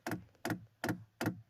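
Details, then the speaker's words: Diesel heater 22 ml fuel dosing pump in prime mode, heater not firing, no damper fitted: crisp, even ticks about every 0.4 seconds, roughly 150 a minute, against a quiet background; normal pump stroking. "Select on, and you can hear the pump ticking away."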